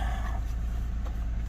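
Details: 2008 Lexus ES350, warmed up and revved to around 2000 rpm, with code P0304 still present after swapping coils 4 and 6. An uneven, pulsing rumble marks a cylinder 4 misfire, later traced to a rat-chewed injector connector that was replaced.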